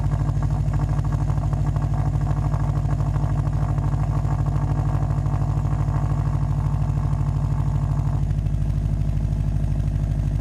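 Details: Subaru WRX turbo engine idling with a rapid, raspy puffing tick over the exhaust note from an exhaust leak at the downpipe-to-cat-back flange, before fitting a flange adapter to cure it.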